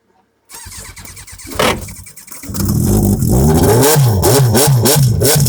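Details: 2000 Yamaha YZF-R1 that won't start on the starter, attributed to intake valves being off; short labored cranking that never catches, then engine fires and revs hard once started another way.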